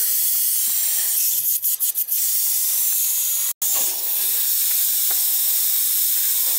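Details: Old cast iron radiator, installed as a replacement for a freeze-damaged unit, being bled: steady high hiss with a few brief sputters and one short cutoff as trapped air escapes the bleed valve.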